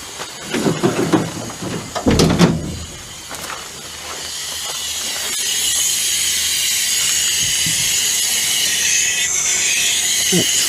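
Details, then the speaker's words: Cat 14 motor grader started for the first time after sitting about four years: after a few knocks, a steady high hiss continues unbroken as the air system dumps air through leaks, so the air horn does not work. Air system leak hiss. "got some air leaks that need fixed and got a request for the air horn but it is it's just dumping air"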